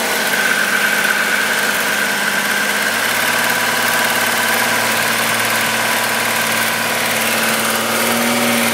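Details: VW Golf VR6 2.9 with 103,000 km at idle: a thin, constant scraping hiss like chain rubbing, which grew louder after the upper hydraulic tensioner screw was replaced; the owner suspects timing chain rubbing, not confirmed.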